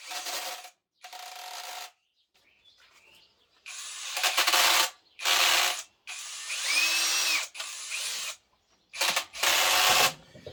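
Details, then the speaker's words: Narex CSP 12-2 Basic hammer drill (75 Nm, 20 V 4Ah battery) under extreme load on first gear: labored bursts with gear whine and coarse rattling, gearbox noisy, likely damaged by extreme stress, first gear reported broken. "所以你可以听到Narex在如此极端的负载下开始发出的声音，当然，钻头不是内置的，这也不是离合器上的开关，但总的来说，变速箱仍然有些嘈杂，所以有一些嘎嘎声这可能是由于极端压力下的损坏造成的。"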